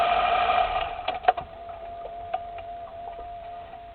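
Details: 2010 Lexus LS 460L: sharp, irregular front suspension clicks over a steady high-pitched hum; owner suspects outer tie rod, sway brace or steering knuckle, not confirmed.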